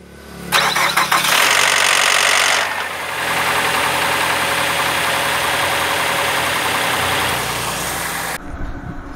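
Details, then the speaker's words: On starting, a harsh metallic rattle from the right side of the engine lasts about two seconds, then fades into a steadier idle; attributed to the timing chain and its tensioner, linked to dirty oil. "hal tersebut terjadi karena di dalam mesin itu ada rantai kamprat ya rantai kamprat ini dia memang harus ada kondisi memegang-megang supaya dia tidak"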